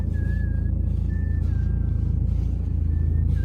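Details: BMW 3 Series E90 with hydraulic power steering, cold winter (December): steady high squeal around 1.8 kHz coming and going in short stretches over low idle rumble, from the steering column when turning the wheel; owner suspects a rubber part, power steering fluid full, no leaks.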